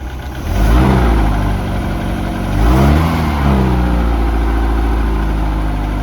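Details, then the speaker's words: 1982 Sea Ray boat engine running on its own fuel after revival, water pumping out the side: smooth, even idle that picks up cleanly through two blips and settles back steady; normal running. "Running good. That's just pretty smooth on an engine, if I ever say so myself."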